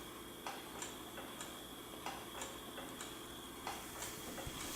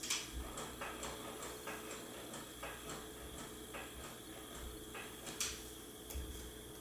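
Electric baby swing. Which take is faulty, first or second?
second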